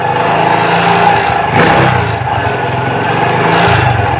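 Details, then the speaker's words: Suzuki Shogun 125 with new spark plug, cleaned carburetor and normal 13–14 V charging: at low speed the engine surges and sags unevenly instead of pulling steadily; carb needle not following the slide. "tu tuh ya teman-teman suaranya ngayun ya jadi sendat-sendat gitu teman-teman enggak mbet enggak mbet cuman sendat"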